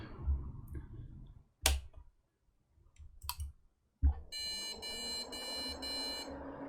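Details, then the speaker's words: Budget custom gaming PC with the other memory module: clicks, then four short even beeps and no POST instead of five beeps and a POST, pointing to a faulty memory module. "ah okay that's four beeps and no post no post yep four beeps and no post instead of a weird five beeps and a post so it looks like we've got a faulty memory module no problem"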